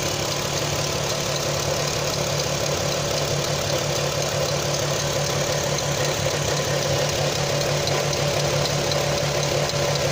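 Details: Audi TT 3.2 V6 petrol idling with a fast, light ticking at tick over, coming from the front of the engine; owner doubts it is the timing chains.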